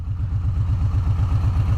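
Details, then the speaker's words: V-twin motorcycle at steady speed, recorded on helmet microphone: uneven, lumpy low chug with loping pulses and no rattles; automatic parade cooling mode left on, dropping a cylinder, normal, not a fault. "I'm sure you guys can hear this chug. No, my bike's not messed up. It's got an automatic parade mode for cooling it down."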